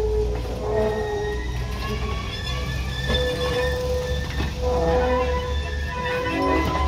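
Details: Train on first run of the year rumbling with high, wavering squeals and screeches over the rolling noise; wheels squealing against rails, greasing suggested; cause suspected, not confirmed.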